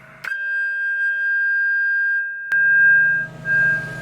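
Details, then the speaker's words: Early Yaesu FT-101 after its chassis screws were tightened: a signal-generator test tone comes through loud, clean and steady with no crackle, the S-meter now works and the receiver functions properly. "look at that s meter is working and the volume sure sounds a lot louder than the Dead"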